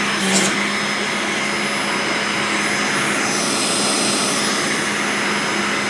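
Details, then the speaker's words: Hart DC1000 canister vacuum, second run after a first start with suspected blown bearing: loud harsh rushing roar with a hissy edge and a thin steady tone; burning smell less than on the first start, seems a little better. "You know what? It got a little bit better. It didn't have that burning smell as much as it did, the first time I turned it on."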